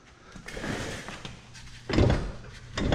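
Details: Rear strut replaced and self-assembled with the strut mount collar forgotten: dull uneven clunks as the loose left rear strut is rocked with wheel off, clunking over potholes, loud inside the car.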